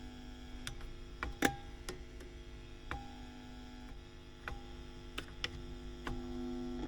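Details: WEM Musette Mk2 valve amp (a Dominator Mk3 with a different speaker), being serviced, idling with no signal: a loud steady low hum with buzzy overtones and crackles; excessive noise not coming from the inputs, exact source not pinned down.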